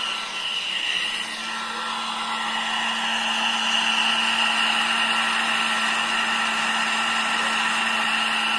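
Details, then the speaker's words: Folding 1000 W hair dryer running after a noise repair: a steady airy rush with a low even motor hum and no whistle, back to its original sound. "तो आपने सुना आवाज में कितना बदलाव आया है जो इसका ओरिजिनल आवाज होता है वहीं आवाज आप इससे निकल रहा है"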